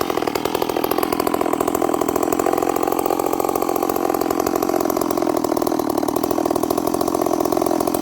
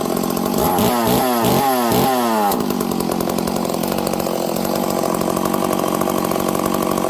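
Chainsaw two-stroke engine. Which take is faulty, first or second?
first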